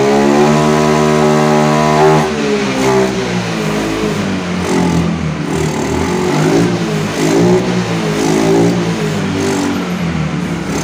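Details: Yamaha Mio Soul GT scooter that dies when throttled, no MIL code or scanner reading: picks up and revs in uneven surges only with petrol added at the air filter intake; test confirms a weak fuel injector.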